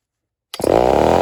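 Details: Homelite Super XL-923 82cc chainsaw with 28-inch Archer bar, stock before porting (baseline test): starts from silence and settles into a strong, steady two-stroke buzz with a clean, even note; running healthy.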